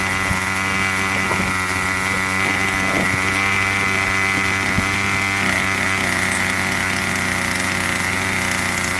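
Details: Craftsman 25cc two-stroke weed eater that wouldn't stay running, after a carb tune: steady high buzzing drone at even pitch with no surging or stumbling; runs properly, purring.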